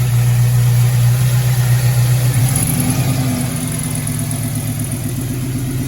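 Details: 1968 Chevelle wagon, LS engine with new Holley Terminator X Max EFI, first start after priming: comes off a fast first-fire rev and settles into a steady, even V8 idle with no knocks or misses.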